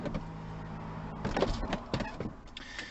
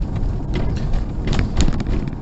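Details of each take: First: Mercedes SL R230 folding hardtop closing after adjusting hidden 10mm nuts on both sides (engine running for pneumatic supply): steady motor hum, then firm clunks as the roof pulls down and latches, rubbers pulling in tight; roof closing and latching normally. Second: Mercedes SL R230 folding hardtop gives irregular light knocks and creaks over heavy road rumble while driving; two hidden 10mm roof mounting screws on both sides are adjusted to stop it.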